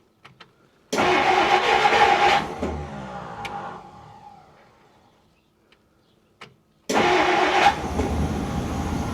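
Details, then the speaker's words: 1959 Plymouth Fury first start after about 38 years, fuel poured into the carburetor; catches, runs smooth briefly, dies, then fires again cleanly, with no lifter tick; normal start and idle. "No kidding. I had no lifter tick, no nothing. And that sounded so good."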